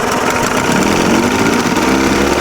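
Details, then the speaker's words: 63-year-old abandoned boat's outboard motor, first run after revival, temperature 136–142: even, fairly fast idle with a steady buzzy drone and no knocks or misses; seems to idle high but runs smoothly. "It seems like it's idling really high."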